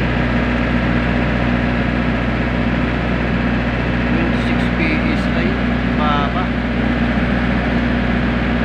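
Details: Diesel genset, earlier low oil pressure shutdown alarm: constant even hum at steady speed, no hunting, misses or knocks; sounds healthy.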